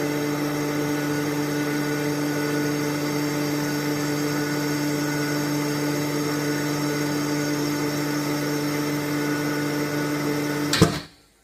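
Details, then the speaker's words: Hydrovane compressor reaching cut-out pressure after filling a 200-litre tank in under four minutes: even hum, then a sharp pop as it unloads; pop comes from a valve, occurs only sometimes, and is said to be harmless. "but you'll hear when she stops, she sometimes gives like a little pop off, and it's just like a popping noise."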